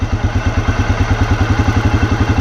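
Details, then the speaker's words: 2006 Arctic Cat 400 after an engine rebuild with new pistons and rings, warmed up, idle adjusted up in neutral. Even, steady single-cylinder thump with no misses or stumbles; healthy idle. "that sounds better there we go"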